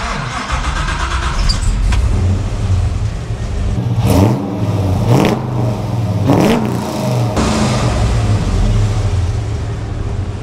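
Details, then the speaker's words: 1955 Chevy lowered off the hoist with new exhaust turn-downs built, wiring still unfinished: engine fires and settles into a deep, even burble, then several clean revs rise and fall crisply; sounds healthy. "We're gonna let this hoist down, see what this thing sounds like. Let's fire this thing up a little."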